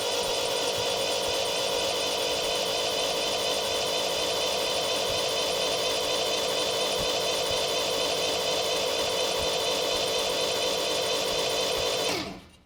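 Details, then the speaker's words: Freshly rebuilt MGB GT performance engine, cranked via starter wire to prime oil before first start: even, fast whirring crank about four beats a second, smooth, then stops; oil pressure reached 60 PSI cranking. "See, that didn't take very long at all to start seeing oil pressure. If you don't do that, you could sit here for an awful long time worrying about the motor."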